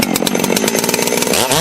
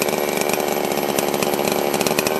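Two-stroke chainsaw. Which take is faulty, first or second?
second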